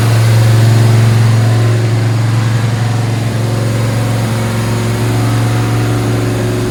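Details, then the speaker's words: Gen 1 small-block Chevy 383 stroker with flat-tappet cam (234/244/112) and Liberty heads, 461 hp, on an engine dyno: V8 easing off from a rev to steady running, no ticking or tapping; normal valvetrain. "I think it sounds good. The valve drain doesn't have any funny sound. See how it idles."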